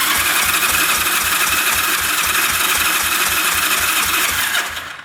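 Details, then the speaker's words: 1974 Yamaha TX500 that sat 27 years, left cylinder compression test with throttle open: even cranking at four beats a second with weak compression strokes, reading 70–75 psi; stuck rings suspected. "Yeah, not good. Compression almost seems like it's getting worse. It's definitely not improving."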